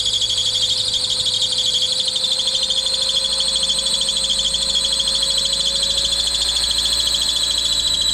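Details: Car (Wanda) first start after timing belt job, run briefly with no coolant: loud steady high-pitched belt squeal over the engine, no knocking or ticking; belt probably loose, fluid likely low from being drained during teardown.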